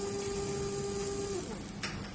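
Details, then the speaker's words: Small metal-gear motor on bench supply at 12 V after 3 V and 6 V runs; clean high steady whine with faint hum, spinning very fast and strong, fading as it winds down; normal running. "我们听这个声音啊，感觉这个力量是比较强的。我们试下12伏试试，12伏，这个转速很快，转速很快。"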